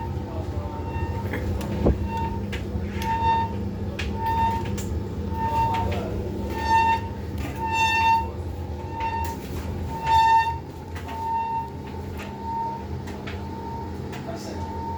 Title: indesit IWc75 tumble dryer is making a squeaking noise from the belt